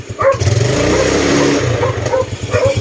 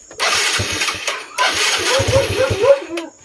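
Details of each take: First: Yamaha Mio Sporty scooter, still slightly cold, after sealing airbox leak: picks up smoothly from lumpy idle and holds revs without bogging, then settles; previously died or flooded when revved, now running clean. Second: Yamaha Mio Sporty scooter, cold engine, after sealing an airbox hose gap and adjusting carb needle: catches, runs a few seconds, dies and restarts repeatedly; stalls when cold, likely mixture problem.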